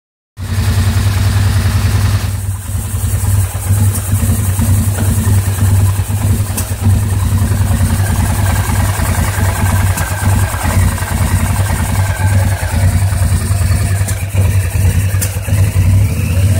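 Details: 2009 850 XP idling rough with burping, backfiring and a miss; throttle cable adjusted and mouse-chewed wiring fixed, still runs rough, cause unknown.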